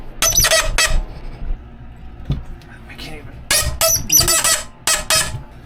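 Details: 1986 Ford F250 clutch and brake pedals sticking and squeaking: sharp, high squeaks in short bursts each time the pedal moves, with quiet gaps between; a dry pedal pivot, fixed by replacing the pedal bushings.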